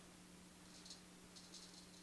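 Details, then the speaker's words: Ernie Ball Music Man StingRay bass through an amp, after resoldering a bad connection: faint hum with a few short crackly scratches, scratchiness still there, so the worn pot likely needs replacing. "see that scratchiness is still there so we may need to replace this pod"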